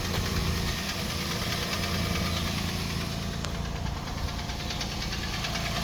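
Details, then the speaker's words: Toyota Land Cruiser Prado 120 engine on a cold start, recorded from one side of the engine: an uneven tapping knock, roughly three a second, over the cold idle; cause not pinned down. "Это звук, он такой на холодную. Вот так он слышится с этой стороны."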